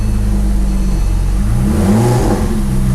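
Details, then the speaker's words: Porsche 911 Turbo 997.2 9A1 rebuilt engine, first start after several cranking attempts with a little gas: catches and flares up in revs, then settles to a steady, even idle with no knocks or misses; normal start. "all right let's try it again foreign there we go it's shot up right there"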